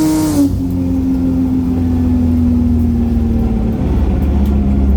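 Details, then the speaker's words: N54 with a Precision 6466 single turbo on a 28 psi boost map, aiming for 30 psi. A loud rush under boost cuts off abruptly, then the engine note sags and stumbles. Logs show overboost triggering throttle closures; the run also sounded like too much fuel. "just had a look at the logs and it kept dumb having throttle closures because i was hitting um i was trying to hit 30 pounder boost so as soon as it goes over a few pound i was trying to cut it back um"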